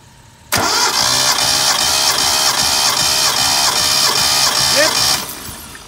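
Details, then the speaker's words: 1972 Datsun Cedric six-cylinder cranked for a compression test on the last (sixth) cylinder, reading 11.5; even cranking pulses. Compression is similar on all cylinders and the test is believed to be positive. Spark plugs are dirty and valve clearance is still to be checked. "We need to check the valve clearance, but for now engine sounds good. The compression test, I believe, is positive."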